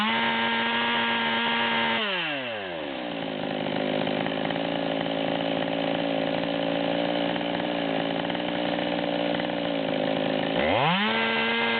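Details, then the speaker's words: Psy-Ko-ized Stihl 200T chainsaw, torque tune, first real tuning run, idle set about 20 rpm out: screaming full-throttle tone with rough burble before dropping to idle; four-stroking badly at 138, high-speed carburetor mixture needs adjusting. "so you can hear this thing's blubbering really bad at the 138 number"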